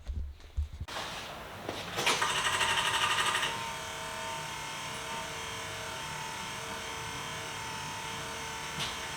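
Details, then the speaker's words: Subaru during an EJ251 to EZ30D 3.0 H6 engine swap, open exhaust, key-on before test fire; brief rapid buzzing clatter then steady electric motor hum with faint whine, the windshield wipers, not the engine. Normal wiper motor operation. "see i turned the key word in it's just the damn windshield wipers i totally scared myself"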